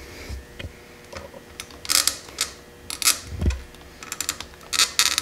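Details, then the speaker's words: Motorcycle handlebars, previously drilled and MIG welded on both sides, loose again: irregular sharp metallic clacks and rattles as bars are worked by hand, engine off; clunk heard riding at 70 mph, loose handlebar mount. "Which, when you're going 70 miles an hour down a highway and you hear that noise, you kind of wonder what the hell it is"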